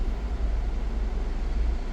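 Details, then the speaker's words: Jeep Cherokee air conditioning after recharging to the exact 567 g of refrigerant (it only had about 200 g); the on/off noise is gone, just a low steady hum, normal. Noise was due to low refrigerant. "yo creo que va a ser eso porque ahorita ya no se ha escuchado nada"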